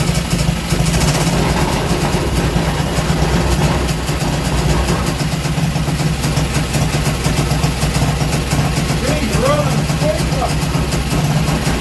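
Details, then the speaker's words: Small Villiers engine running loose on the workshop floor, not bolted down: quick regular firing beat at steady speed with chatter from the engine bouncing on the floor; running well. "wow there we go she runs and she seems to run very well if I sounded a bit naughty it's because it was chattering and bouncing around on the on the workshop floor"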